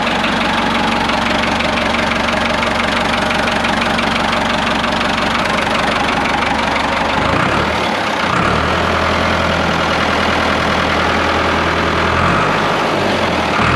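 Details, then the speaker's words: Ford 5600 tractor diesel at idle just after the injection pump was removed and reinstalled with timing set back to its mark. Loud, steady clatter with an even rhythm and no misses, sounding as before. Timing is right and there are no leaks. "all right guys everything looks good no leaks anywhere engine sounds good you can really tell the timing by the sound of the engine it sounds just like it did before I pulled it off it means I got the timing right about where it was"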